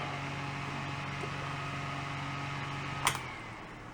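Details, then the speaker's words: Fan on an APC Back-UPS 450 switched to battery backup, whose stepped, modified sine-wave output leaves the fan nearly stalled: low strained hum, barely turning, then a sharp click, while the meter reads about 122–123 V. "Now we're on battery backup. You can tell that because the green light is blinking, indicating battery backup power. Fan has almost stalled."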